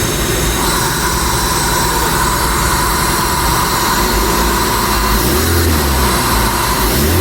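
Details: 2008 Suzuki Liana with replaced engine, just started while the exhaust warms and smokes: steady, even idle with no knock or chain noise; an extra noise comes from nearby body/filter parts and drops when hand-damped; engine normal.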